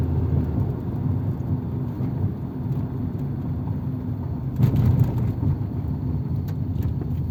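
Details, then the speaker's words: 1997 Nissan Altima at warm idle after a rebuilt MAF sensor was fitted without its O-ring to cure random lean trims pegged at -25%, a fault worse at idle. Low, even rumble with no stumbles or dips; healthy idle, seems fixed. "so far it feels like it might be fixed though"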